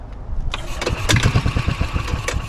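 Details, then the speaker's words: 2003 Club Car DS golf cart, previously seized engine after sitting about 3 years, spark now confirmed and plug in: cranking under compression for the first time, even strong pulses about eight a second; compression sounds healthy. "see what this baby sounds like under compression for the first time I got the spark plug in all right leevi go ahead son go ahead go ahead good that's a good sound sounds pretty good"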